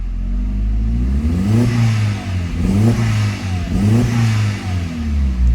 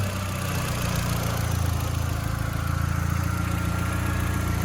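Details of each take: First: Mk4 Jetta 1.8T with replacement USDM block, sat 3 years, very old gas, blow-off valve audible; repeated uneven revs with slight stumble as throttle first opens; breaks up at bottom on tip-in, possibly from a leak, unconfirmed. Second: Mk4 Jetta 1.8T with replacement USDM closed-deck block, first running with much still unhooked (N75 fitting unsure), very old gas after sitting 3 years; low steady idle, even pulse, no ticking or knocking; normal idle.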